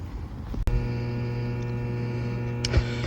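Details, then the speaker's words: Newly installed Hiblow HP-80 septic tank air pump, replacing a failed one on an aerobic treatment system with a new alarm panel: steady low electrical hum with a few handling clicks, tank actuator also running; working normally. "All right, everything is working good. I don't know if you can hear that. Pump's humming away. The actuator down in the tank, I can hear it, it's running."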